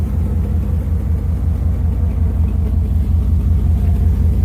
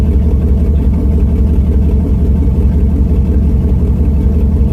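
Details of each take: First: Truck with new exhaust headers and the muffler deleted, straight pipe from the cat: a deep, steady exhaust rumble with an even beat and no clanking. Engine running normally, the earlier clanking gone. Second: Truck with new headers, muffler removed leaving a straight pipe from the cat, small exhaust leak still suspected: deep, loud, steady rumble with a fast even pulse; sounds good and not as loud as expected.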